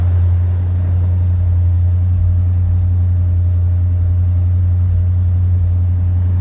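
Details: 1965 Chevrolet Impala convertible (SS clone) with new Chevrolet 350 crate V8 and Muncie 4-speed, cold start with choke set: deep, steady V8 burble at fast choke idle, even with no knocks or misses; normal healthy cold-start idle.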